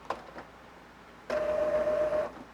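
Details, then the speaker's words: Epson ET-2720 inkjet being converted to sublimation ink, starting initialization after filling ink tanks: short motor whir with steady mid-pitched tone, then quiet; normal startup and ink charging, which takes about 10 minutes. "then it'll make some noise. I think you could probably hear that. And it'll tell you do not turn the power off till initialization is complete."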